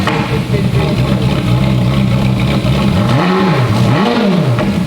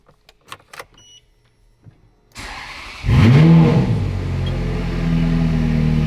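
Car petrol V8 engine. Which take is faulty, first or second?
first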